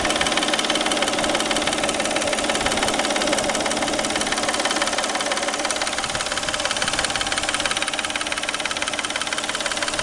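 Even idle carrying a steady tick roughly three times a second, pointing to a knock near the timing belt side.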